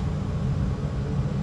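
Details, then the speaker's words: Rheem gas water heater after cleaning the pilot flame sensor: pilot holds without the button, gas on, main burners kick on with a steady low roaring whoosh; flame later turns orange from an internal leak. "so once that gas is on you turn that thing on on and you will see the burners kick on"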